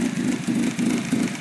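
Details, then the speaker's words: 2004 Kia Spectra5 2.0 L, just started, before idle air control fix. Uneven lumpy idle swelling about three times a second, with erratic high idle. Check engine light on, possibly for multiple misfires; exhaust leak also audible. Rough idle, cause suspected. "it's running a little rough and we do have a check engine light on"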